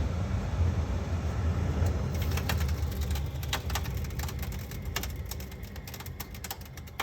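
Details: Whynter heater set to 68 degrees, low fan, heating mode, then stopped. As the low hum fades, sharp irregular clicks tick through at roughly three per second; clicking at shutdown, cause unknown.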